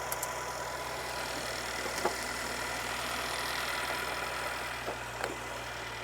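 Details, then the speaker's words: Mercedes CLS 400 M276 engine that had a rattling noise, after camshaft and camshaft phaser replacement, weak battery: quiet, even idle with smooth steady hum, no rattle or tapping; engine sounds good. "So, as you can hear, the engine is running and it sounds good."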